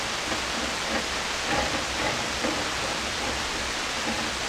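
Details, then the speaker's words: SP-600 communications receiver with rebuilt RF deck just installed, first power-up at reduced 92 V supply: only steady, even hiss with no stations or tones; live but no signal received. "It's very hissy. Well, it seems like it's working. Maybe there's no signals."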